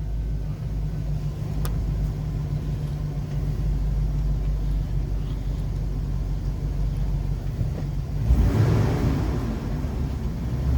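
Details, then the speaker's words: 2007 Chevy 3500 Express van V8 idling after installing a new Melling high-volume oil pump, primed with oil; steady, even low rumble with no knocking or ticking and good oil pressure; normal idle. "we got good oil pressure again"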